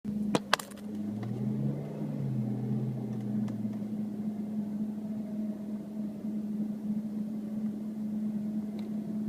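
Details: 2005 Audi S4 Avant with new DBA 4000 T3 rotors and Hawk HP+ pads, bedded twice and bled; steady low droning hum/dragging vibration for about eleven seconds, then faint high-pitched squeal as the car slows.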